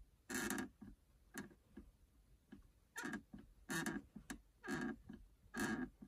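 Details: Subaru VN5 Levorg passenger seat, rear right lower area: dry rasping creaks about once a second as the seat belt buckle stay is rocked side to side, reproducing the creak heard when an occupant sways while driving.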